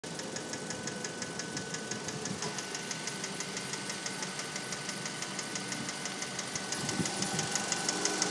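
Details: 2004 Mazda3 Hatch Sport automatic: light valve-like ticking, about three per second, at idle from the passenger side; absent when cold, appears as the engine warms and is louder in manual mode. Dealer replaced the timing chain but the noise remains.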